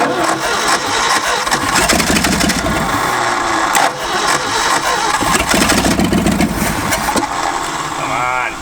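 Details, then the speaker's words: Ford F-250 abandoned 26 years, first runs after new spark plugs: cranks, catches and runs ragged, uneven, loud and busy with no steady beat; ignition timing still way off and carburettor not set. "now the timing is still way off and the carburetors nowhere near being set properly but should be better let's find out"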